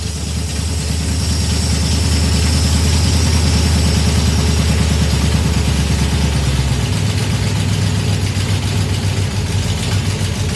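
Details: Small-block 307 V8 with FiTech EFI, deceleration IAC at −20. Deep drone hangs high after the blip and only steps down late; the return to idle is still not fast enough, as the idle air setting is not yet right.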